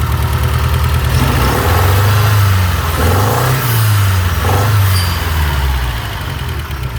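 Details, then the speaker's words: Shelby GLHS parked 20 years, after fitting a parts-bin injector: a rough, stumbling beat at idle and through light blips, with one cylinder still dead. Owner suspects the connector or a stuck injector. Misfire at idle. "all right please baby let's run on all four nope i would say that's a no"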